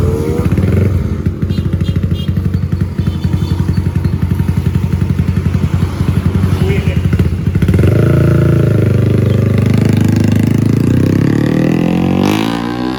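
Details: Honda Supra GTR 150 bored up to 63 mm (about 180cc) with enlarged valves, after the rebuild: a strong, even single-cylinder beat pulling cleanly through the revs with no tick or clatter. The power complaint and noise are resolved.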